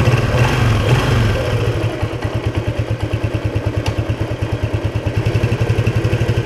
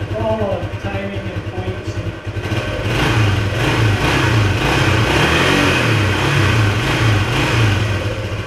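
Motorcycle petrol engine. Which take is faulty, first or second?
second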